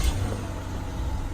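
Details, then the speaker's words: 2003 Ford Escape V6 after a misfire repair with codes cleared: a low, steady, smooth idle hum with no stumbles or missed beats, where before it ran really badly. Normal idle. "you go smooth before it was really bad"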